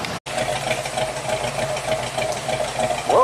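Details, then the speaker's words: 1969 Ford Mustang Mach 1 V8, sat for years, running on its own after fresh gas; fuel filter full, fuel pump working, still not building coolant pressure: steady, slightly lumpy idle, no misfire or knock; normal idle. "it seems to be uh happy running on its own."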